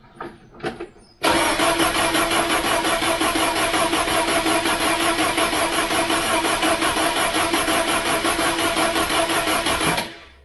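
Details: Ford Mk3 Cortina with 2.0 Pinto engine, just reassembled after valve stem seal replacement, choke pulled out; starter churns at an even rhythm for about nine seconds and never catches or fires: cranks but won't start.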